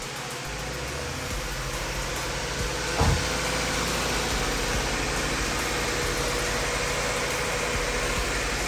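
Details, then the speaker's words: 1993 Honda Civic Si B16 after broken timing belt repair, coolant still to be bled, no leaks: steady, even idle with no ticking, knocking or misses; runs normally despite the belt failure. "Sounds like it's running just fine too, like nothing happened after breaking that timing belt."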